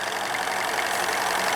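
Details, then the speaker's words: Steam launch with Cheddar Proteus 4.5 cc Maudsley reversing engine; engine-driven feed pump sits above waterline and struggles to prime, fed by siphon from a water bottle; bypass valve opened, water spitting with continuous sputtering hiss, no knocks; engine running normally. "ça crache mais je ne sais pas si cet effet va continuer lorsque le niveau aura baissé"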